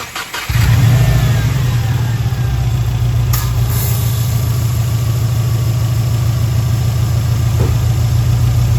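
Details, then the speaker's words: 2011 WRX after a JDM engine swap, fresh oil and filter, no compression test done: cranks briefly and fires on the first turn, then settles into a steady, even idle. No codes or check engine light; a healthy start. "You can hear it starts right up. First turn, no codes, no check engine light."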